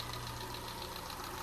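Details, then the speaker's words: Peugeot 207 petrol engine just restarted after a snapped timing belt, head gasket rebuild and new timing belt; fast light ticking over a steady idle, too tappy, owner thinks it needs readjusting. Suspected valve tapping. "sounds a little bit tappy that don't it is that is that too much I think that's too much tapping isn't it but at least we've got a running engine again um it just sounds a bit tappy to to me that I think maybe that needs a readjusting"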